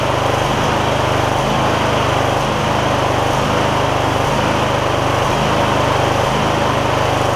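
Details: MTD Lawn Chief garden tractor V-twin after clearing debris the owner believes got into the intake despite a tight air filter: steady, even drone with no surging or hunting, running smoothly during a run-test for recurring issues.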